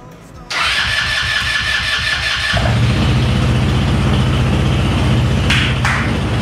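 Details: Yerf-Dog Spiderbox go-kart with new GY6 150cc carburetor, new fuel filter and fresh gas: cranks briefly, catches and settles into a steady, even putter with no misses or knocks; small engine running normally.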